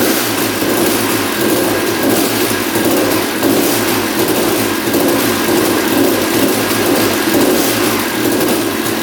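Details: 1989 Honda CR250 two-stroke that had been sitting, first start after carb cleaning: runs raw with a busy metallic rattle under the exhaust at steady speed; engine seen moving in frame, loose engine mounts suspected, source unknown.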